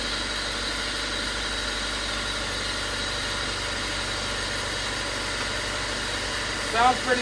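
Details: Honda Civic after track day with suspected knock, burst coolant line and failed radiator fan, mic inside car: steady even idle hum with no knocking from the bottom end; engine sounds smooth, though still considered hurt.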